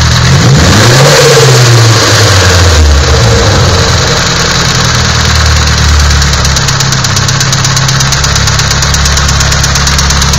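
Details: Nissan SR20DET engine at steady idle with a regular knock about three times a second, clearly above the engine note; internal knock, cause unknown.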